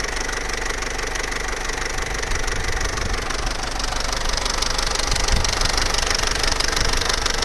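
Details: Vauxhall Corsa C Z14XEP, 86,000 miles, idling up to full operating temperature; fast, even metallic chatter near three per second that grows as it warms, quiet on start-up; timing chain rattle.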